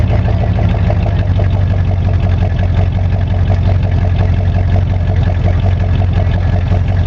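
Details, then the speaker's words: 1985 Monte Carlo SS V8, cold start, sat 14 years, now daily driver, broken electric choke, burns oil (valve stem seals): loud rough idle with faint uneven knock about three per second; possible knock at cold idle. "that thing is uh sounds like a knot or sounds like a rod knock but i'm not really 100 sure"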